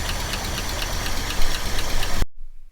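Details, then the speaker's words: 1967 Ford F250 pulled from a field, first start in 30 years: revving produces a loose repeating metallic clank over a rough, loud engine; owner feared bottom end, but it was a rat's nest (debris) in the bell housing. "so I had her running and I went and hit the gas and reved it up a little bit and I heard this cl cl cl cl cl Clank every time I reved it up went cl cl Clank and I was like crap what is that hope it's not the bottom end um it ended up being a Rat's Nest in my bell housing"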